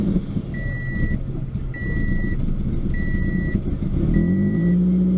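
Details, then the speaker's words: Salvage FR-S, first start attempt after adding gas to an empty tank (gauge still reads empty): long, uneven cranking under a repeating chime, then the engine finally catches and revs climb; a hard start. "It started up a little bit more than it did before. Let's see. Let's try again. Oh, it wants to."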